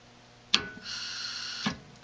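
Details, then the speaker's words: Honeywell VR9205Q two-stage furnace gas valve, low stage with gas on: a sharp solenoid click, then a deliberate short delay before an even gas hiss of nearly a second, slowing gas flow so the flame lights slowly and evenly; normal opening. "you may have also noticed that there is a slight delay there between when the song I'd clicked open and when the gas started flowing and that's actually on purpose to slow the amount of gas produced down so that the flame lights more slowly and evenly"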